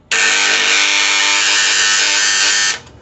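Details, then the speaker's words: DOL starter for a large farm motor, switched on: a loud, steady electrical buzz starts at once and holds until it drops out; the contactor is chattering and buzzing, cause not confirmed. "ज्यादा इसमें no जा रही बहुत ज्यादा इसमें आवाज़ ए रहा है कुछ इस प्रकार से जो स्टार्टर वह आवाज़ करने लगता है"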